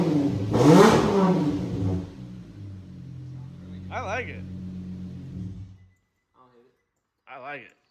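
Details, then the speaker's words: Nissan VQ35DE in a G35 sedan drift car, first start after engine reinstall with new mounts: strong rev swelling then settling into deep, steady idle, no knocks or rattles; healthy, slight belt squeal noted. "This sounds good."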